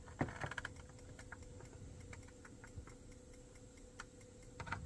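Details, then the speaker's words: Caravan fridge gas igniter, working after its battery connection was checked: faint, sharp ticks in a quiet room as the igniter clicks at the back of the fridge when the button is pressed. "when I press the button there the igniter is working and it's actually um you can hear it clicking at the back of the fridge"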